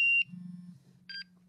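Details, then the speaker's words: MSA Altair 4X multigas detector switching on: short high chirp, then a brief two-tone beep a second later as it shows maker, model and software and checks its sensors; normal power-on sequence. "goes through the process again tells me who made it what model it is what software edition it is it checks its sensors once more"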